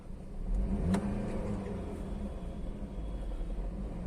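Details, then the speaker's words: Skoda Laura 1.8 TFSI after fixing a crank-no-start ignition supply fault: quick throttle blip, then smooth, steady idle with no misfire or stumble; starts and runs normally, though a malfunction light shows for a faulty air mass sensor. "तो गाड़ी तो चल रही है okay कुछ problem नहीं है"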